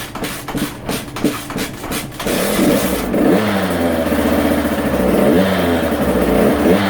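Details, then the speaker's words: Husqvarna TC85 two-stroke after full rebuild with new crank, piston and bearings, first start: a few kick-over thumps, then catches and revs crisply, smoking heavily, no knocking or rattle; running normally. "Well, she's running. Let me open up the shop door here and turn on a fan, and yeah, look at all that smoke."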